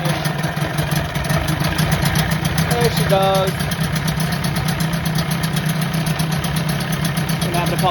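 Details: 1984 Johnson 25 HP two-stroke outboard, first start after removing lanyard cut-off and kill switch: catches after a few pops into a steady, even idle burble; running normally.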